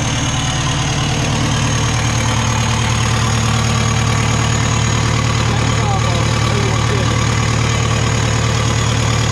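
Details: Cat 259D skid steer diesel: deep, even thrum holding a steady idle with no knocks, misses or hunting; engine sounds healthy.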